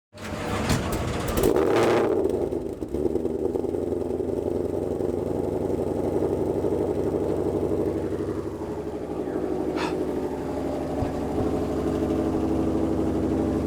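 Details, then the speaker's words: Drag car: engine catches with a few ragged, uneven firings before settling into a lumpy, loud idle; hesitant start, owner says engine is clapped out, cause not confirmed. "Hear the way it hesitated to start? That's how you know it's clapped out."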